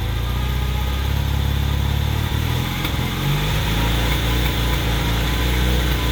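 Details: 1981 Honda CM400T twin after a top-end rebuild, idling loudly with an uneven, stumbling beat that skips now and then; slight engine misfire.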